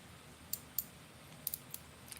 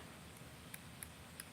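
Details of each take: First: Drag clicker on a BFS baitcasting reel: sharp, irregular clicks in small bursts as line pulls off in a quiet room, loud as it should be, unlike a second reel whose clicker is muffled. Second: BFS baitcasting reel drag clicker sounding muffled: a few faint, thin ticks, roughly three a second, barely above the room. Far too quiet, inaudible on the water; owner suspects something needs bending or tweaking.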